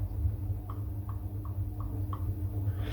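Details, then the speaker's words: 1975 Triumph Trident T160 Amal Concentric MKI carburettors, off the bike during strip-down: light dry clicks about four a second as each throttle slide is rocked, showing play from worn carb bodies, which lets air past and upsets the mixture and tickover. "9 carbs out of 10, if not 10 out of 10 carbs that have seen some mileage, the throttle bodies wear, because it's certainly on original carburetors, original Amals, they wore out really quickly, surprisingly quickly."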